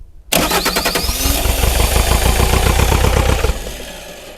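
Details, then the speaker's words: Neglected, cold Bobcat T595 diesel skid steer, restart attempt with the hydraulic pump drive belt reinstalled after the computer shut it off for no charge pressure: starter cranks briskly about three seconds but the engine won't fire. "I'll see if I can get it started with the belt on now. Still won't start with the belt on."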